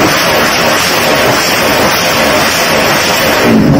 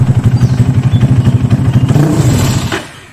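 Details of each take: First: Reference motorcycle (2-stroke or 4-stroke) with a correctly set carburetor pilot and main jet: sharp, clean throttle blips rise and fall quickly with no popping, hesitation or bogging. Normal revving. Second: Carbureted motorcycle set up with a pilot jet that is too small: lumpy, uneven beat about four per second, then on opening the throttle it chokes and dies within a second, with backfiring typical of a too-small pilot jet; lean stall.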